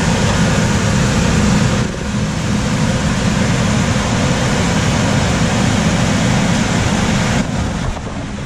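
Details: Coleman DGAX056BDTA manufactured-home furnace, constant-torque ECM blower with 24-volt taps set to high: loud steady rushing roar of air over low hum, no knocks; excessive blower noise from high speed tap, fix is lowering the speed.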